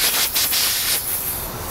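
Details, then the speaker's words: Tire puncture enlarged with a plug-kit reamer before plugging; loud steady hiss of escaping air with a couple of short surges as it leaks fast through the hole; tire puncture air leak. "Something stuck me like that all the way through, but didn't. That's pretty amazing. See, now it's gonna leak real good, yeah."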